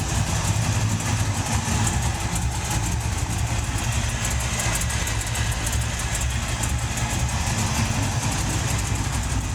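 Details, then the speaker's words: LS-swapped Chevy S10 with cheap Chinese headers at idle; loud rumble with sharp fast ticking, headers suspected leaking at flanges and collector. "I don't think these headers seal that good either sounds like it's got a couple"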